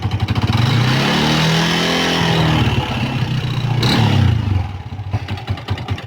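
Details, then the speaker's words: Old Yamaha Vixion motorcycle engine revving with a rough, rattly clatter over the exhaust, after a connecting rod replacement; typically caused by worn, loose piston rings, attributed to infrequent oil changes. "bisa dilihat ya bagian bloknya ini bunyi kasar karena kemarin tuh ada reaksi"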